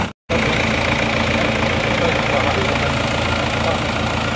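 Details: Isuzu Panther diesel started after repair (previously damaged following a workshop job, not malpractice): catches straight away and settles into a steady, even idle clatter with no knocks or stumbles; no longer smoking, healthy idle.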